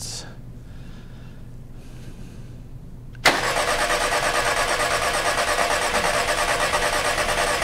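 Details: VW Passat no-start, no spark, no communication, no injector pulse; a bad sensor/power ground is suspected: quiet ticking, then a steady fast crank about three beats a second with injectors now clicking, but it never catches.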